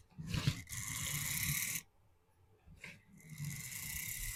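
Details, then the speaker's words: OO gauge locomotive on sidings track with poorly glued cork and XPS underlay: motor whirs, drops out about a second, then picks up; not shorting, losing track contact in places. "It's not shorting out. There's just a... Yeah, she's losing contact in a few places."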